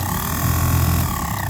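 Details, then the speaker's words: 1992 Chevy Silverado C1500 HVAC blower after reinstalling the motor, fan switched to hot: loud, low, rough drone with scraping. The blower wheel rubs its housing because the motor isn't seated right; loosening the mounting bolts cured it. "Okay, move that to hot. Oh! No. Okay. Ooh, I wonder if I'm hitting something."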